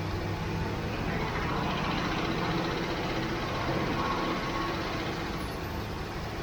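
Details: 1967 Mustang after at least two gallons of gas were added: even, steady engine rumble with no misses, running much better now that it has fuel.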